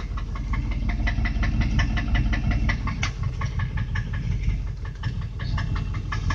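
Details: Land Rover Discovery idling after 30 minutes running, not overheating: sharp steady ticking about three per second over a low rumble, an exhaust manifold leak.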